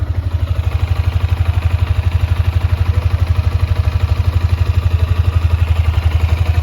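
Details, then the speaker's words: Yamaha Sniper 155 after 4 months of use, odometer 2,336 km, freshly cleaned and still smoking: even idle thump about four pulses a second with light steady valve ticking, called normal; ticking quiets when the clutch is pulled. "Normal lang yan mga boss kapag may naglalagitik. Yan, normal lang yan."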